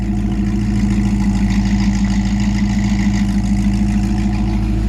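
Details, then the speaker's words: 1957 Chevy 3100 truck, Crate 350 V8, likely low miles, long tube headers: even, steady low burble at idle through mild, quiet exhaust, no misses or knocks; smooth, healthy V8. "I'll just give it a little rev for you. It's actually a pretty mild, quiet exhaust."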